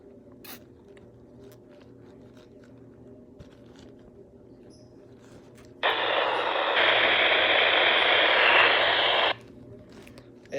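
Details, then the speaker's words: Baofeng UV-5R radio with squelch at 1: a quiet background, then a loud steady hiss for about 3 seconds that cuts off abruptly. Squelch 9 fixes it. Squelch set too low. "Now, it is a squelch problem. So this is a squelch problem."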